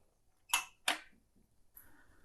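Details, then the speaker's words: CCTV CRT monitor switched on: two sharp switch clicks, then a faint very high-pitched whine and soft buzz as the high voltage kicks in; normal start-up. "okay i heard the high voltage kick in"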